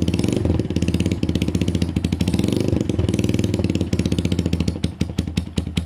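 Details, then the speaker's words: SYM XS 125 single running on a new up-jetted carb replacing a gummed-up one; quick even popping beat settling as it warms, no misses or rattles; runs and rides fine but idle not fully smooth, probably needs a service. "runs rides idle is great probably needs a bit of a service uh just not i mean it runs and rides fine just doesn't idle as smooth"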